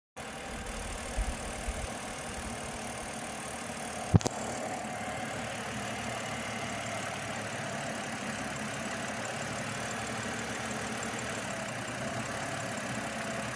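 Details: BMW 730Li idling rough after VANOS recall work; steady idle with a faint uneven shake and unsteady low rumble underneath, cause suspected but not confirmed.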